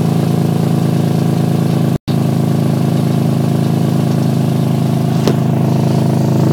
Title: exhaust leak